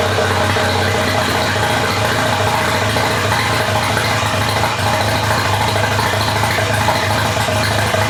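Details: Mazda FD RX-7 rotary, rebuilt after losing compression, first run after engine install: loud, raw, raspy note held steady with no muffling; engine running open with no exhaust fitted.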